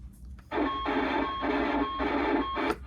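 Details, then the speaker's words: Early-1990s Astatic D-104 "lollipop" CB microphone: harsh, crunchy hiss cutting in and out on transmit audio, caused by oxidized, dirty leaf-switch push-to-talk contacts from sitting unused. "microphones if they're not used the little leaf switch contacts get oxidized and they get dirty even from just sitting and it's more ox oxidation than anything and um what happens is you get a really scrunchy audio"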